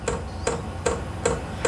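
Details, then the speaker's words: Vevor portable diesel heater starting up on low setting, exhaust routed under a camper trailer: the fuel pump comes in with a quite loud tick about two and a half times a second over a low hum. This is normal pulsing. "I've only got it on the low setting and that fuel pump tick tick tick tick it is quite loud"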